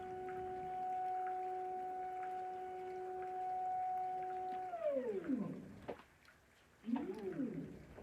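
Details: EpicSaw PowerLift on a Woodland Mills HM130 Max sawmill, running at a reduced lift rate setting pending squaring the unit: steady mid-pitched motor whine that sweeps down and rises as the head lowers and lifts; normal operation.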